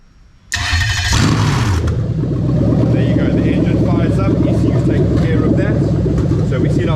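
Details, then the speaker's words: Toyota Sequoia 2UZ-FE non-VVT-i V8 on a rebuilt manual harness with remapped ECU; the ECU-controlled starter is triggered by a brief 12V signal. A short crank, an instant catch, then a strong, steady, even idle. Normal start; coolant later about 81°C. "this one the starter is actually controlled by the ECU so you're going to see I'm only going to momentarily touch that black with a yellow wire on 12 volts and the engine EC will take over and it'll fire the engine up"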